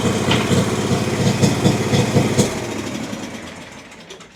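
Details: Exmark Vantage S stand-on mower with Kawasaki FS541V engine, 1181 hours, found with no oil (oil and filter just changed): rough, popping misfire that winds down and dies; reported to lack power with blades engaged; suspected too much fuel or a sticking or leaking valve.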